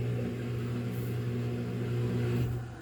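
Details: Samsung washer with 5E drain error, drain and spin cycle after checking: steady low hum with even tone, no grinding or rattling, pump and drum running cleanly; drains normally.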